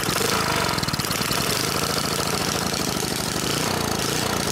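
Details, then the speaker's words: Previously locked-up 3 hp Briggs & Stratton single-cylinder engine, freed and running: steady, even, rapid beat with no misses or knocking, sounding healthy. "t was free that was locked up and we got it running and it sounds good I don't hear any knocking so that's probably going to be a good little three horsepower engine"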